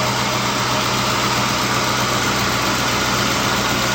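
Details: Infiniti M45 after engine swap, warm idle: steady, smooth low V8 rumble, no knocks, misses or surging; manifold burning off residue smoke, plastic smell noted; engine sounds healthy.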